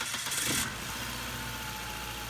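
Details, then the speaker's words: 1999 Ford Contour right after replacing the coil pack to cure a misfire: a short crank, then a steady, even idle with even exhaust pulses; the check engine light is gone and it runs cleanly. "immediately it sounds much better you go inside you see that the check engine lights gone"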